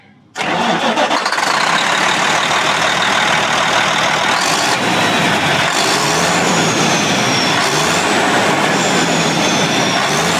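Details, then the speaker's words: Diesel engine on a farm machine (called "Big Brute") with no boost; turbo first suspected, but the turbo elbow has finally cracked; sharp chuffing and a high squeal climbing with revs, exhaust leaking at the cracked turbo elbow, judged loud but not serious. "تو، میں اس چیز سے باہر نکلنے والی چیخ سن رہا ہوں۔ تو، میرا اندازہ ہے کہ یہ ضروری نہیں کہ کوئی بری چیز ہو۔ یہ صرف اونچی آواز میں ہونے والا ہے۔"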